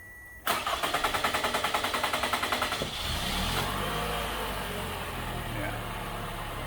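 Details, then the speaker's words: 2014 Toyota Camry four-cylinder with a P0171 lean code, restarted after sitting about five minutes: steady cranking for over two seconds before catching (hard start). Owner suspects fuel pressure bleeding off in the tank. "that is definitely the issue i am confident of that like i said i don't know what the actual fuel pressure's supposed to be while running but i got a funny feeling this thing's bleeding off in the tank"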